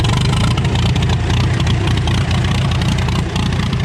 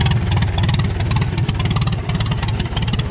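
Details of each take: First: 1936 Farmall F20 hand-cranked after a carb adjustment and magneto advance: a loud, steady low chugging, firing evenly without stumbles. Normal running. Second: 1936 Farmall F20 tractor, hand-cranked, carburetor flooding, choke in: old engine thumps along about three beats a second, slightly uneven, not quite clean; rough running, carb adjustment and magneto advance being tried, carburetor rebuild needed.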